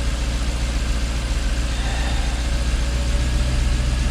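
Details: Jaguar XK8 V8 idling after ignition coil replacement cured its misfire: deep, even burble with a steady beat and no stumble, firing on all eight cylinders; owner notes a little vibration remains and it could probably use new plugs.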